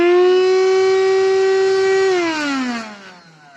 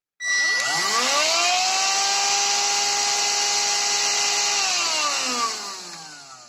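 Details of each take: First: Redmond RV-UR363 vacuum cleaner, used without its filter, drones loudly and harshly then winds down with lost suction; dust and hair got into the motor, debris in the impeller has unbalanced it. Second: Redmond RV-UR363 vacuum cleaner, used without its filter so debris entered the motor, after the main dirt was cleaned out: motor spins up to a steady, even high whine with airy hiss and winds down smoothly, now running evenly.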